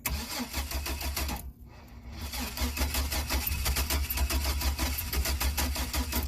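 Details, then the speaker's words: 2003 Chevy Astro 4.3L, crank no start, slightly weak battery. Fuel injectors, fuel pump and fuel pressure checked good, but the oscilloscope shows a wrong ignition coil primary waveform with no dwell. It cranks evenly at about three beats a second and never fires; the cause is suspected, not confirmed. "okay we've got a little bit of weak battery you've been cranking for a while but this waveform is completely wrong and i'm on the primary side of the ignition coil and i get this and the same on the wire"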